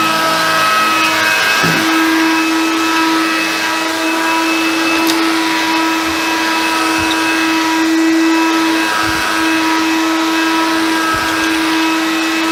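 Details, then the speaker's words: Hoover Convertible/Dial-A-Matic U1124A upright vacuum, after servicing; steady clean hum at constant pitch, no rattle, slip or grind; judged very good, better than the Concept. Normal running. "fantastic so that is what I would call very good the fact I must say it grooves slightly better than the concept"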